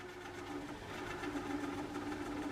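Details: JVC KD-W110 double cassette deck in fast wind: a thin, steady squeal over a soft whir with no knocking; the idler tires and belts tested fine, so the cause is still unknown.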